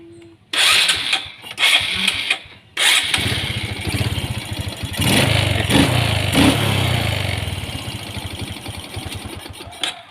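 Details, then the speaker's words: Honda Supra X 125 carburettor single after refitting the detached main jet and setting air and fuel screws: a few bursts, then it starts easily without throttle and settles to a steady, even idle; normal start and idle. "tanpa menarik tuas gas, mesinnya mudah dinyalakan. Lihat, bagus kan, teman-teman?"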